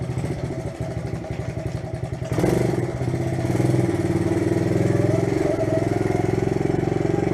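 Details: A 1971 Honda CT70 Trail 70 single putters with an even, steady beat and picks up smoothly when the throttle opens, no knocks or rattles, after transmission repairs and maintenance; normal engine running.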